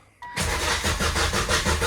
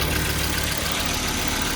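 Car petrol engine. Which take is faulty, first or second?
first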